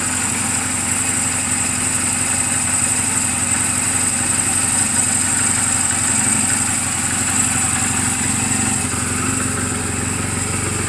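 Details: 2007 Honda Rebel 250 in neutral, oil just changed and valve clearances just adjusted; steady, even idle with a regular soft beat and no ticks, knocks or misses: normal idle.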